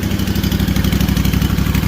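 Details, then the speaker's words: Freshly rebuilt Kawasaki FR730V V-twin in a Cub Cadet SX60, just started, before break-in; even, steady idle with deep regular thump, no knocks, ticks or misses, being checked for leaks. Normal idle. "It sounds pretty good. Check around for leaks and things."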